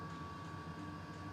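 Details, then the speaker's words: Custom Webasto water heater and Chinese diesel heater hybrid, about 5–7 minutes on heat setting 4, radiator bottom 56°; smooth even roar with steady mid-pitched hum, no surging or pops; normal running. "I believe it's been on 5 to 7 minutes on heat setting number four"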